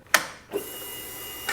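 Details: Harley-Davidson touring bike after removing, realigning and reinstalling the ignition switch, with the main fuse refitted: a crisp key click, a faint steady electrical hum and a second click as the ignition comes on normally.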